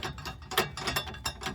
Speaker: If you got a lot of rattling in the front end when you hit a bump but when you hit a smooth patch of road, you don't hear anything, nine times out of 10, that's your issue. It could be the struts, too. And it's like this on both sides. That's the sway bar link.